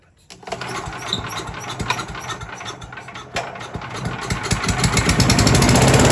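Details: Troy-Bilt chipper/shredder that arrived not running, now with fresh fuel, its air filter adapter refitted and the choke on: catches on the first pull, putters, then builds to a steady, even run; normal start.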